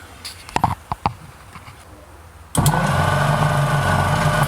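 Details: 1939 Packard, being rewired, cranked via the key: the starter churns steadily at about three to four beats a second and the engine never fires. No spark was found, and the coil was checked next.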